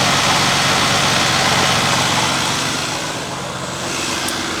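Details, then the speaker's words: Cadillac with early throttle-body fuel injection, first start after replacing spark plugs: even, smooth idle with a steady beat and no misfire stumble or ticking; sounds healthy. "you, but that sounds pretty dang good to me."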